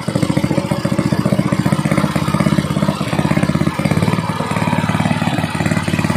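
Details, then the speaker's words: Gasoline water pump engine that misfired after long disuse, after cleaning the carburetor: running fast and steady at raised rpm with an even, unbroken beat and no misfires; normal running. "niya Ayun mga Sir okay na okay na maganda na yung andar niya w"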